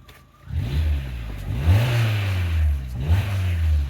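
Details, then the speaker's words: Fiat Grande Punto petrol engine, freshly through its MOT, blipped twice at standstill, rising cleanly and settling back smoothly; normal running. "nothing wrong with that is there"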